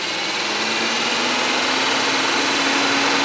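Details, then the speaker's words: 2008 Saab 9-3 with overheating (temp gauge near 3/4): with the fan control unit fault fixed, the electric cooling fan runs normally with a steady airy rush and faint rising hum; all four speeds now work. "So all uh four speeds are working right now. So the problem was from the fan control unit."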